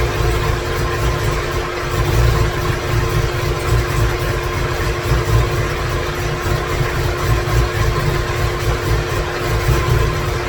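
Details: 2017 Corvette Z06 with Texas Speed 416ci stroker, Holley port injection, first fire-up with no tune, no coolant: deep uneven lumpy idle with loping pulses; rough idle from missing tune.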